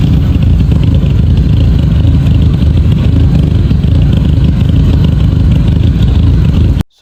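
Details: Mk5 VW Golf GTI with a misfire on cylinders 1, 2 and 3 after smoke from under the bonnet; loud, lumpy idle with uneven low thumps and a stumbling beat. Owner suspects the PCV valve, then the cam follower; cause not confirmed.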